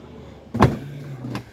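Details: Range Rover L405 lower tailgate after replacement parts fitted and tailgate height reset: clunk then steady low motor hum about a second as it lifts smoothly, now opening fully; actuator sounds normal.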